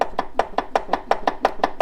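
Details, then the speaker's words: BMW HP2 Enduro with the starter motor removed, clutch turned by hand, after a sudden noise under acceleration at 120–140 km/h: sharp evenly spaced metallic knocks, five or six a second; owner suspects something loose or a destroyed main bearing. "this sound that I think is the root cause of the red link that I have shown you before so maybe something come loose or I have a main bearing or something like that that destroyed"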